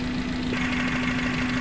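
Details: Suzuki Carry Futura pickup petrol engine idling with a steady hum and lumpy, uneven low beat, shaking, misfiring and lacking power; plug wires pulled one at a time to find the dead cylinder.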